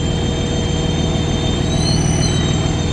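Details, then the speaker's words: Cummins diesel idling at a fuel stop: rumble with thin high whistling squeal, one tone briefly wavering in pitch; owner suspects a belt since the frequency changes, not yet checked. "I'm here getting gas and it's making some weird noise it's like a whistling sound not sure if that's"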